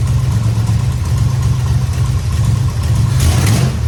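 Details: 1969 Dodge Charger V8 idling after power steering work, belt tightened, fluid topped and bled with wheels up, cold garage: deep steady burble, no whine or groan from steering pump; normal power steering operation.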